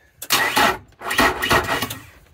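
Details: Outboard motor with a sluggish starter, dual-battery bank through a Blue Sea battery switch set to both, testing voltage drop: two uneven, labouring cranking bursts that drag instead of spinning freely. Slow cranking, voltage drop through bad battery cables starving the starter.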